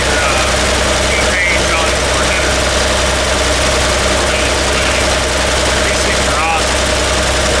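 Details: Toyota Land Cruiser, started cold: lumpy uneven idle, stumble roughly every second; cylinder 3 misfire, its exhaust tube stays cold; possible low compression, valve, carbon, spark plug or ignition, still to be tested.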